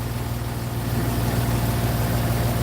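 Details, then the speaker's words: Jeep Grand Cherokee idling after belt tensioner and alternator replacement; old tensioner flopped and rattled loudly, belt still shakes slightly and may need replacing; smooth, even low hum, no belt flutter or chatter: normal, much quieter idle. "I might have to get a new belt because that's still kind of, that belt right there is still kind of shaking a little bit, but that'll be later down the line. but this is a lot smoother and a lot quieter."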